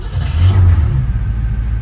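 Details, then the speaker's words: 1959 Cadillac truck first start after sitting long, with electric fuel pump hot-wired to the ignition; deep, smooth V8 rumble settling to an even idle with no misfire or smoke, not overheating; runs well. "you hear that that's unbelievable look how good this thing runs like butter I love it"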